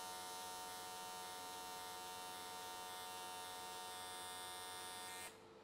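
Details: AC TIG welding an S13 catch can, 95 Hz square wave with new smoothing settings: smooth, constant high buzz without crackle or sputter until the arc cuts off. Stable arc; weld completed in one session.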